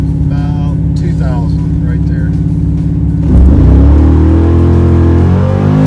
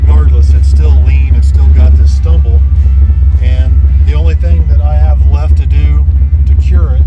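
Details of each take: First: Chevrolet Malibu V8 with carburetor being tuned for racing: lumpy idle then firm clean rev from about 2000 rpm with no stumble or hesitation on launch; engine not fully warm at first test hit; smooth acceleration, much improved. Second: Chevrolet Malibu V8 with 4.10 gears: brought to ~1800 rpm on foot brake and throttle mashed; rumble sags and hesitates then pulls; off-idle carburetor stumble, owner suspects accelerator pump squirter/pump cam.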